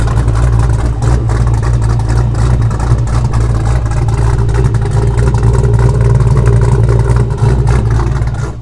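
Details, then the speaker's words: Ford Foxbody Mustang V8 after a new 255lph fuel pump and -6AN line install: deep, even rumble held steady at idle with no knocks, ticks or stumbles; good oil pressure, battery charging, check engine light on, cause unknown. "Check engine light on, not sure why, but looks like we got plenty of oil pressure, battery's charging, so we're gonna let her idle. It's been a while. Sounds good."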